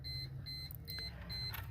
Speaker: I gotta reset my gauges because I just pulled out the power source right there.